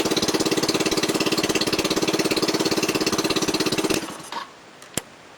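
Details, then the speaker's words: 250cc SL250 scooter, cold after sitting overnight, following carb rebuild, electrical and vacuum line repairs, de-restricted muffler and makeshift air filter: fast, even putter idling high because the enlarged idle jet runs it rich; idle drops once warm. "since I made the idle chat a little bit bigger it seems the idle high when it's cold when it warms up it idles lower"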